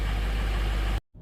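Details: 2005 Ford F-350 6.0 Powerstroke diesel just restarted after IPR valve replacement (ICP2 low code still to clear): heavy, even diesel rumble with a steady low beat, no knocks or misses, before it cuts off. Normal idle.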